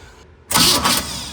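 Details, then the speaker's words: Jet boat engine after sitting 10+ years, starter shimmed an extra 1/16 inch: harsh grinding on cranking as the starter gear sits too far from the flex plate and slips; shim to be removed. "So, you could hear that. Now, the starter's too far away from the the gear on the flex plate. That's the grinding noise."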